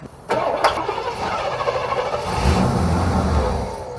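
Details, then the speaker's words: Long-stored Cadillac 500 V8 in an Eldorado, kept running on ether: a few rough cranks, then it catches with uneven coughing and settles into a lumpy idle that warms up and smooths out; hard start, runs on starting fluid. "Keep it running with the ether. Okay. Look at that. You're a genius."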